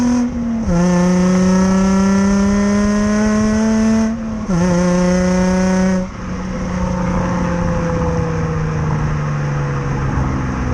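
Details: 2005 Nissan 350Z, VQ35DE with stock exhaust, driving: pulls up through two gears then eases off with a loud, raspy, blatting exhaust note from a big exhaust leak.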